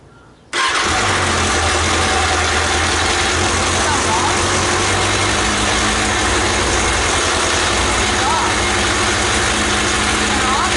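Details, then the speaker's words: 2013 Kawasaki Ninja ZX-6R (636) started after a valve clearance check: loud, busy metallic cam chain clatter at idle because the aftermarket manual cam chain tensioner was not retightened. "all right so that noise something very important we forgot to retighten this is the cam chain tensioner"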